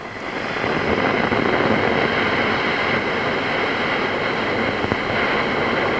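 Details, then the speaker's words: Fender Hot Rod Deluxe MKIII valve amp, microphone near speaker grille: constant grainy crackle and hiss like frying eggs; owner suspects a valve among two or three possible causes. "okay i can hear that fried eggy sort of noise i call it kicking in"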